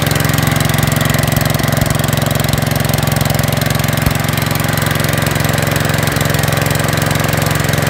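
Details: 5665 that was leaking gas out the carb, test run after carb work using starting fluid to start it; fast, heavy, slightly lumpy thump at idle, running way too rich before the main jet was opened up.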